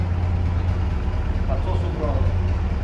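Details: GAZ-69A with electronic ignition, running after crankshaft replacement, with charging being tested: a low, steady idle rumble stays even throughout with no obvious misfire or knock, so the engine is idling normally.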